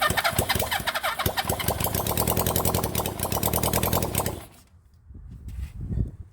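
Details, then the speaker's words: 1975 Honda CB400 Four rebuilt engine, first start since purchase, coils held on: catches easily and runs with a quick, somewhat uneven patter for about four seconds, then dies; carburettor keeps flooding, float suspected stuck. "let's give a check and let's see what it [Laughter] does well that started e easy"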